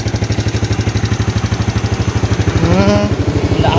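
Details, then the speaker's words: Yamaha Jupiter Z1 fuel-injected motorcycle whose blinking injection MIL light (code 22) was cured by fitting a good battery: steady, even single-cylinder putter with no misses or knocks settling into clean idle; runs fine. "Jadi, masalah sebenarnya hanya baterai, dan sekarang sudah hilang, kan? Dan sekarang starter elektriknya juga berfungsi."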